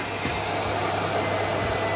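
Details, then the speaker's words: Miele S312i vacuum cleaner, nearly 30 years old, after refurbishment, with carbon brushes still having plenty of life: a strong, steady motor roar with an even hiss and no flutter or grinding; normal, powerful running. "These are You can't really believe this is 30 years old cuz it's so powerful as well. That is super powerful."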